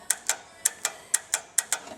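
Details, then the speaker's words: VW engine that sat 10 years in salt spray, fitted with a replacement 009 distributor, ignition on: crisp, light clicks about three or four a second from the carburettor cutoff solenoid working normally, with the auto choke warm. "Righto, next good sign is it looks like we've got ignition. Perfect. I can also hear the solenoid clicking"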